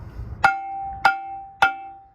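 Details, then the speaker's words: Semi truck/trailer drum brake tapped with a 3-pound mini sledge: three even taps about half a second apart each leave a clear, sustained bell-like ring, showing the brake is released, unlike the dull thud of a set or locked brake. "you hear that ping? Hopefully that's coming through the phone okay. That's a brake that's released, it's ringing."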